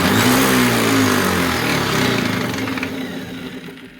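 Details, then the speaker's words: DeWalt DW733 thicknesser planer after a timber jam burnt through the drive belt: motor whine falls as it coasts down with a rough fluttering vibration, about three pulses a second, something vibrating inside; cause unconfirmed. "Not sure what's going on there, but it doesn't sound right anyway. Sounds like something's vibrating inside."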